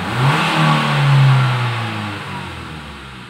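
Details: 2012 Nissan Livina manual, after carbon-cleaning combustion chamber tune-up with 500 ml cleaner (previously unstable rpm, rough sound, vibration): engine revs cleanly and settles back smoothly with an even tone, no knocks or misses. Normal revving.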